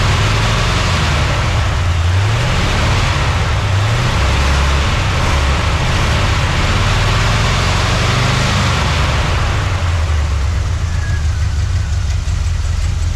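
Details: 1979 Chevy C10 after sitting 5 years: steady low rumble, fairly even with slight lope, holding constant speed; idling normally.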